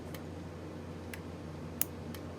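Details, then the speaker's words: Solenoid valve in a DIY high-pressure aeroponic system, cycling on a timer set to one second on and one second off: sharp single clicks about once a second over a faint hum, opening and closing cleanly as normal. "now i just hit confirm and it's working clicking on off see it on off on off"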